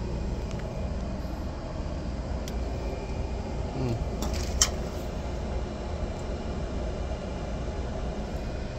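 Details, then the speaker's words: Carrier package-type AC unit with three-phase scroll compressor: heavy steady low hum from single phasing, one supply line dead (110 V instead of 220 V). Breaker or main power suspected; phase monitor blocks start. "Papakita ko sa inyo yung nag single face na Three face motor yung amperahe niya at saka yung tunog niya"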